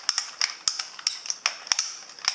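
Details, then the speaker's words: Revell Visible V8 plastic model engine being turned over with the valve train assembled. Sharp, uneven plastic clicks about five a second, while the pushrods bend and sometimes pop out. Cause is excessive valve train follower play. "you can hear this terrible clicking noise so the rest of the the crank and the rods and the Pistons they all go fine but when you put the valve train together it just sounds shocking"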